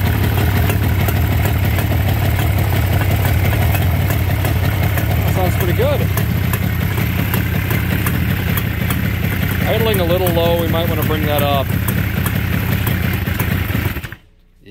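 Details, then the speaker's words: 1969 Yamaha DS6 two-stroke after carburetor float-bowl gasket replacement, just kick-started with choke. Steady, slow burble at about three pulses a second, sitting a touch low; idle screws need turning in to raise idle. "going to want to bump that idle up a little bit but it's alive anyway"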